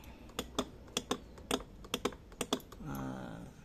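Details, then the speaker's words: Motorcycle that won't start: with ignition on and the starter button pressed, only sharp dry clicks about four a second come from the activated starter relay, with no cranking whir as the starter motor stays dead. "Nah jadi kalau ee di start ikut cuma bunyi cetik-cetik Nah apa sih yang bunyi di sini itu adalah relay berarti kalau e tombol stter ditekan relay aktif maka akan berbunyi seperti itu"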